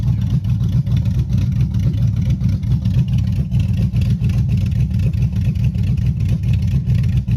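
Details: Chevy Silverado 5.3 V8, 4WD, rebuilt after a bent rod: 0.020 over pistons, Summit stage 1 cam, beehive springs. Revving: a deep, loud open-pipe rumble with choppy cam lope, clean and even, no knock or tick. Healthy.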